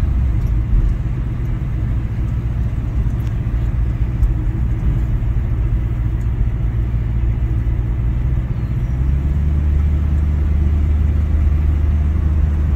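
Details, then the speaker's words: 1960s Ford Mustang 289 V8 automatic, two-barrel carb, floored from about 40 mph: rumble swells cleanly over road noise, no misfire or bogging, pulls well; kickdown issue pending fix. "okay pulls on pretty good it's good"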